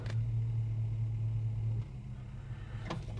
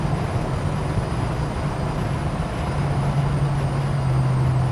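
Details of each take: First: Holden HK automatic, oil pressure about 45 psi, temperature rising after a cold start: idle hum drops as reverse is selected, soft clunk about a second later; normal brief reverse engagement delay. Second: Holden HK at 60–70 mph under load: low steady hum over road roar, rising slightly; owner thinks it comes from the transmission, further back than the engine, origin unconfirmed.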